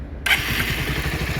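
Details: Bajaj Pulsar 150 single after replacing the worn body balancer scissor gear, which had caused a rough grinding engine noise: starter catches and it settles into an even, steady beat with no grinding or rattle; clean, healthy start.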